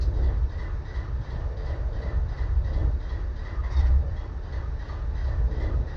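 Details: BNSF 4583 locomotive diesel at idle: deep, lumpy, uneven low rumble with occasional stumbles, indicating a misfire.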